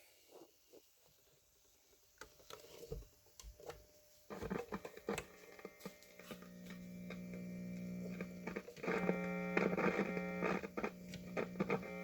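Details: 1950s Zenith "Owl" model L515 AA5 tube radio, in for repair: dial lights but set completely dead; handling clicks then steady low mains hum swelling as it warms, no station sound; cause dirty tube sockets, has a replacement electrolytic.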